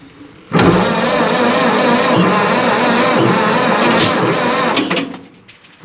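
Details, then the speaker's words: 1930s Ford Model A sitting over 20 years, first start attempt using choke and floor starter switch: about four and a half seconds of uneven cranking with a few ragged catches that die out; fires intermittently but won't keep running. "all right guys we got to fire a few times there"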